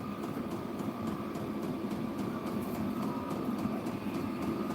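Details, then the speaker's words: New diesel-fired kennel heater, exhaust routed outside: steady fan rush and faint whistle with light regular ticking about three per second from the fuel pump; normal diesel operation. "I can hear it ticking that's cuz it's diesel that's how diesel do"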